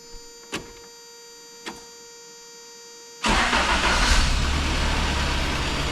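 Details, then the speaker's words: 1994 Toyota Pickup work truck, first start after fitting new starter and new fuel filter, in rain: two faint clicks, short crank, engine catches straight into steady idle; starter working normally, way better. "Hey, not too shabby. Oh yeah, that's way better."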